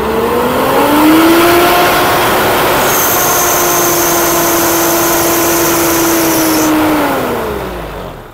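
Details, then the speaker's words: Mitsubishi Montero diesel revved to about 4,000 rpm: a steady metallic ringing appears only at peak revs and settles as the engine drops; absent at 2,000–3,000 rpm, the owner never heard it; cause unconfirmed. "Ito, pagdating ng 4,000 RPM, narinig nyo yung ingay na yun, at yun po ang i-resolve natin."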